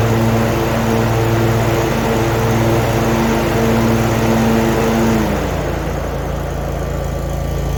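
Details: Zero turn mower, over 10 years old, after replacing the broken belt, guards off: steady even engine drone with no knocks or slipping, then revs settle lower after about five seconds; running smoothly.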